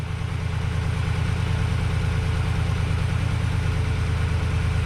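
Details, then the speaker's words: 2011 GMC Sierra 1500 after swapping in a junkyard engine for a seized one, first start: low, even, quiet idle rumble with no knocks or misses; good oil pressure apparent and gauge temperature low. "It's quiet. Look at that. Very good, very good, very good."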